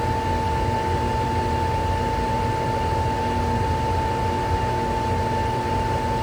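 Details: Pool heater with a no-heat fault, start of the heating sequence after checking the wiring: the inducer motor kicks on with a steady whirring hum over soft airflow, no rubbing or rattle; normal startup.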